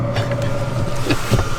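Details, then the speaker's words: Chinese diesel heater lit and running at altitude in Rocky Mountain National Park; steady low hum with even fan whir at constant pitch; normal running. "Looks like it's working. Oh, there we go. Looks like it's working."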